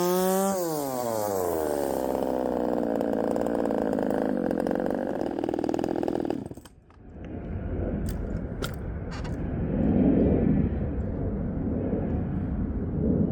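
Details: Poulan 3750 chainsaw, ported, just finished, exhaust retightened after coming loose: two-stroke revs high and buzzy, sags near stalling and hunts, idle won't settle and loads up when richened; owner suspects the Chinese carburetor.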